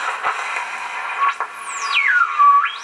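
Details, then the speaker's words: Midwest 18-36 18-tube radio on AM: a whistle sweeps up and down in pitch as the dial moves, beating against a nearby AM radio, showing the front end and local oscillator are working. "Okay, so part of the front end and the oscillator's working, because you can interfere with that other AM radio."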